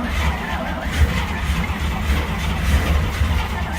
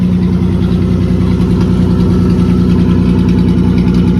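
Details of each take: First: 1950 Dodge B2B truck parked since 1978, first start attempt after recovery: steady low starter churn with uneven chuffs that almost catch but never pick up; cranks, won't keep running, later backfires. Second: 1950 Dodge B2B truck, parked since 1978, running on new fuel hoses, clamps and filtered gas with the fuel pump working and no leaks: a steady, even low idle with a smooth regular beat and no misses or knocks. Normal idle.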